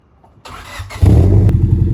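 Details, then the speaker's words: Honda Civic with a custom exhaust at cold start: it cranks and catches, then settles into a loud, lumpy, uneven exhaust beat at cold idle. The misfire is clearly audible. "could definitely hear the misfire a lot more clearly."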